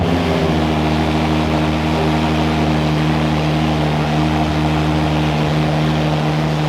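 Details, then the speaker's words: Ferrari 812 Superfast V12 being rebuilt after crash, half tank of fuel: smooth, strong idle with steady low hum and no misses, knocks or surging; normal idle. "That sounds very nice. That is not bad at all. Sounds good."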